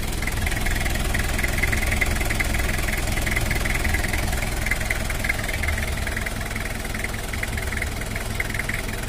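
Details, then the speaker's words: Toyota Kijang LGX diesel after cylinder-head service, valve adjustment and injection pump setting: steady, even clatter about 200 beats a minute, no misses or knocks, neither very smooth nor rough; standard normal diesel idle. "Oh ya udah Vera suara standarnya untuk Kijang LGX diesel enggak terlalu halus dan juga enggak terlalu kasar"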